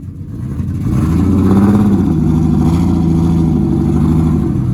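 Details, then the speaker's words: Big-turbo drift car revving on the road: uneven, stumbling beat under the drone; running better but still missing. Owners suspect flooding or a failing airflow meter over-fuelling, cause not confirmed. "it sounds like it's running better but it's still missing yeah but it's like picking up on what it was yeah"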